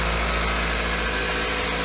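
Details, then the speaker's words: 2007 Pontiac Vibe after the separated exhaust manifold joint was repaired with a new donut gasket and bolts: even, steady, quiet petrol idle with no ticking or puffing; no leaks. "Nice and quiet, ladies and gentlemen. Doesn't have any leaks."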